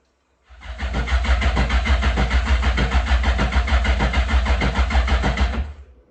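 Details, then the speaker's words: Yamaha GP1200R converted to a GP1800R (new engine), first start attempt: the starter churns evenly at about three beats per second but the engine never fires, so it cranks without starting. The fuel line was never installed. "So me being so eager to start this thing, my dad forgot to install the fuel line."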